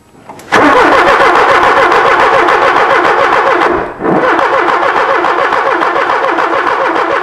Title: 1979 Porsche 924- No Start